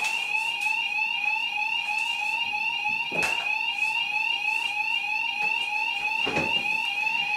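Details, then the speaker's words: Home-built fire alarm system, bedroom sounder triggered by the bathroom heat detector heated with a hairdryer: steady, high, piercing two-tone warble sounding continuously in a small room; the sounder works as intended. "You now hear my sounder going off because the bathroom detector has been set off."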